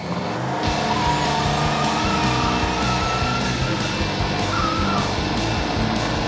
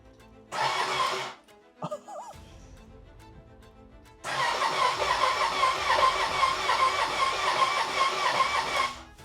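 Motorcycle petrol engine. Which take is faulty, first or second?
second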